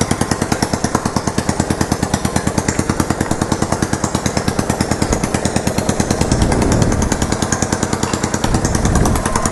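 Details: Yamaha Virago XV920 café racer project on first start after rework, no grinding noise, an unexplained clicking also heard: uneven, lumpy V-twin idle with loud sharp pops every few seconds; backfiring, carburetors need syncing.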